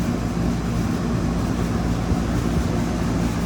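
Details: 2003 Carrier 38CKC 3-ton AC condenser, Bristol reciprocating compressor, fan with three 18-inch galvanized Revcor blades, after startup, some wind outdoors: deep steady compressor hum with even fan rush, no knocks or rattles; running normally.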